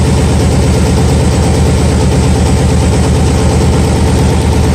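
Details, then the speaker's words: Nissan 300ZX (Z32) with a persistent one-cylinder misfire after earlier timing fixes, owner suspects the injector, idling before it is unplugged to test: loud, steady idle with an uneven low pulse about twice a second. Rough idle; cause not confirmed. "can probably hear, it still has the miss, so I'm going to go ahead and I'm going to unplug it."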